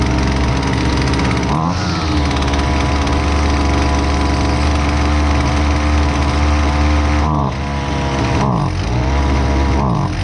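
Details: Husqvarna 128LDX two-stroke string trimmer, fixed after sitting unused: loud steady buzz dipping and recovering a few times as the carb mixture is trimmed; runs cleanly throughout, normal running.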